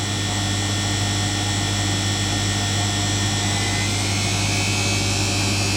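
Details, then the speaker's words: Beko WMA641W washer spinning at the end of a wash cycle: a steady motor whine climbing smoothly as the drum ramps progressively up to 1400 rpm, powerful, even and free of knocks or rumble, a healthy spin. "oh little Progressive spin I like that it sounds really powerful at 14 under two there we go okay finished"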